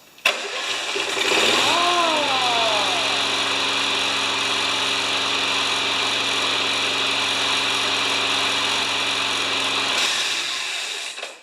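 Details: Yard Works/MTD mower with Briggs engine and modern wind-up spring auto start, touch-and-mow safety key, before tune-up; spring releases and engine catches within a second, settling to a steady even idle.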